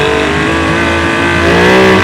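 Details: Rebuilt Yamaha 75hp two-stroke outboard uprated to 90hp, running in on 25:1 double oil (normally 50:1): one short full-throttle blip that rises quickly and holds smooth with no popping or stumble; healthy freshly rebuilt outboard.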